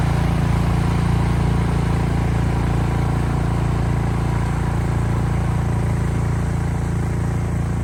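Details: Cub Cadet 26-inch three-stage snowblower, about 8 years old, with a new belt, blowing snow: steady, low, even roar holding pitch under load with no misses or knocks; runs normally.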